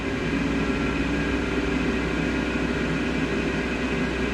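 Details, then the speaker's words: Cloudline S6 Infinity inline duct fan added to a Glowforge, on its controller at high speed. Steady even whoosh of air with a faint hum, no rattles, ticks or scraping; quieter than the stock Glowforge fan. Runs smoothly. "it's definitely not as loud as the glow forge you can hear it but it's not super loud and for the amount of power this thing puts out um i'm pretty impressed"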